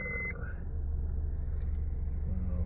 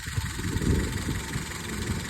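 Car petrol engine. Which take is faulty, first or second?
second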